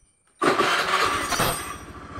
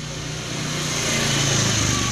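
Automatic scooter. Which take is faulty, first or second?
second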